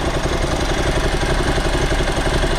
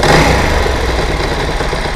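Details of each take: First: Motorcycle idling after a carburetor rebuild, not yet fully warm, with idle speed just adjusted: an even, steady low beat with no misses. The revs still drop slowly and it is possibly slightly rich, but much improved. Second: Motorcycle twin after carburettor rebuild and mixture adjustment, not yet fully warm: even idle hangs slightly high after a blip and only slowly sinks back; better than before, idle speed slow to return.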